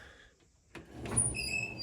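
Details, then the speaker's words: 1964 Chevy C10 wipers newly wired with two kit wires and a small blue wire to the switch: brief motor whir, then thin squeaky blade sweeps across the glass; the wiper motor works normally. "And we got windshield wipers. So sometimes it's just the little wins like that."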